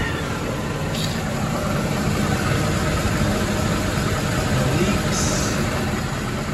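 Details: Mercedes ML63 AMG, M156 V8 (~500 hp), just after topping up oil: smooth, even idle with steady low burble, no top-end tick; earlier lifter noise attributed to low oil and gone immediately.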